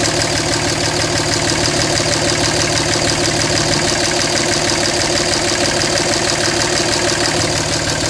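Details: 2007 Dodge Ram 5.9 Cummins, rough idle for about a month: uneven loping clatter about three pulses a second; intermittent fuel rail pressure sensor, MAP sensor and overboost codes, owner wonders about blow-by and exhaust sound; cause unknown.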